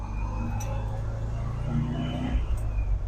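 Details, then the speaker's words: 1969 Volkswagen bus with a carbureted engine, just fitted with a Buttys Bits throttle pedal linkage upgrade: the pedal now returns to idle, which is steady, fast and even with no hunting. The idle sits noticeably high and needs lowering. "And it returns to idle too. I need to adjust my idle."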